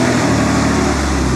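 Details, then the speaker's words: High-mileage Porsche 986 Boxster at idle: rough breathy puffing over the low rumble, still blowing, maybe worse than before; exhaust gases escape past the manifold flange, exhaust manifold leak. "It still sounds like it's blowing. Let's have a look. Some people might say it sounds like it's blowing worse than it was before."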